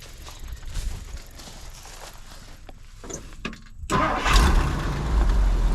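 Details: 1962 Ford Galaxie that sat for decades, restarted before driving it home: catches straight away after handling noise and settles into a steady, deep idle rumble. Healthy start.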